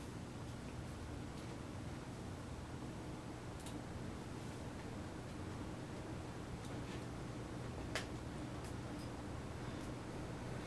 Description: 42" white and brass SMC Royal Flush (U42) ceiling fan from 1989.